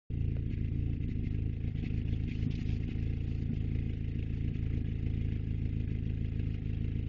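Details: 1994 Jetta whose owner cannot tell whether it is misfiring or backfiring: deep engine drone with irregular sharp pops and stumbles breaking the rhythm as it runs and revs; points to a misfire.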